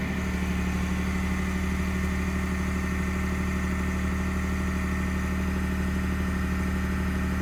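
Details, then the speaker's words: 2021 Ford F150 PowerBoost, remote cold start at -16°C (occurs at -11°C and below): loud steady low rumbling drone with rough gritty churn, something clicked, like pumping; grinding source unknown, not figured out by Ford. "So the noise is still there. Something clicked, but I don't know when it starts. When it starts pumping something, but who knows? It's really loud."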